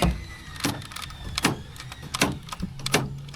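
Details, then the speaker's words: 2010 Honda Odyssey door lock actuator just replaced after locks cycled on their own at every stop and restart; four crisp, quick lock/unlock clunks about every three-quarters of a second, normal door lock operation. "There she goes. If you can see that. Let's try that. Unlock. Lock. Unlock. All right. That works."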